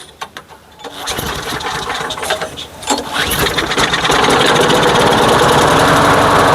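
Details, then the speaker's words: Craftsman lawn mower running with gasoline-soaked air filter removed; a pull or two, then steady even drone, no sputter or surging; the air filter was the problem, carb needs no overhaul. "Really? The problem was the air filter. You know, um I guess that means I don't have to go through the carb."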